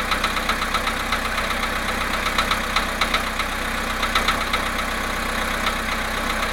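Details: VW Polo sedan, 17,937 km, cold idle at +1.5 °C after standing 19 hours: light, fairly regular ticking knock about four per second over the engine hum; engine knock, cause not determined.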